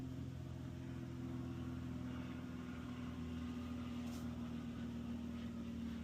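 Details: Coleman Mach rooftop A/C on Rockwood Geo Pro 19BH travel trailer, on low cool before soft start install, about 70 W draw: steady low hum with constant tone and even fan rush, no knocking or rattle; normal running.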